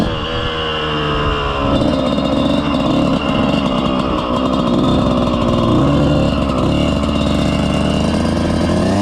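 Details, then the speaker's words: 2000 Suzuki RM125 two-stroke on its first ride after deep cleaning and carb adjustment: loud ragged spitting note that bogs and sputters under throttle in first and second gear, clearing from third; clutch also suspect. "and then second gear will kind of open up a little bit and then third and there's open but first and second they're they're sputtering"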